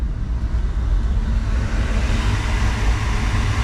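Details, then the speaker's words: Diesel-fired medical waste incinerator from an airport, idle for months and newly wired for 220 volts, during six-minute pre-burn: steady deep roar without surging, knocks or gaps; burner firing evenly, though lower chamber flame not yet seen. "I can hear it man it sounds it sounds pretty thorough something's happening for sure"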